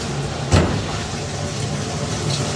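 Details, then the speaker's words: Sump pump discharge: water falling back down about five to six feet of pipe hits a standard Home Depot check valve, giving one hard, dull thump over a low hum; recorded before it was replaced with a silent check valve. "that water comes down hits that check valve the one that I bought from Home Depot works great but it's just loud so when it hits it it makes a thumping sound"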